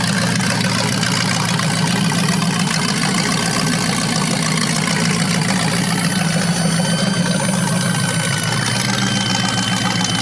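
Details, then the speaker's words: 350 small-block V8 (3970014 block, from a 1970 Camaro) on its first run on an engine stand with a 600 CFM carb. Steady idle with a faint thin squeak that seems to come from the carburetor; source not found. "yeah some sort of a squeak coming from something sounds like the carburetor but it's running good"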